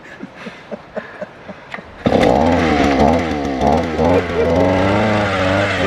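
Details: Small two-stroke auger, which ran that morning, started outdoors in wind: several light pulls, then it catches and revs up with a high, wavering buzz; it starts and runs normally.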